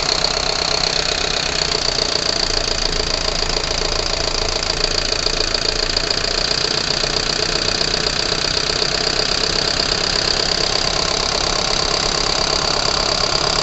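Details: Unit 45 217 warming up (Torino MD), failed fan clutch reported: engine running with a loose, uneven knocking rattle over a busy hiss, engine vibration.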